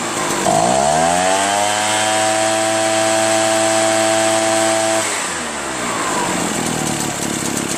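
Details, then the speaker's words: Echo PB-403T two-stroke backpack leaf blower after carburetor cleaning, magneto reinstall and high/low mixture screw adjustment, kill wire disconnected: revs up smoothly, holds a clean steady high buzz, then drops back; normal high-speed run. "Seems to run pretty well, man. I just need to connect that kill wire though. Which I better not do while it's running."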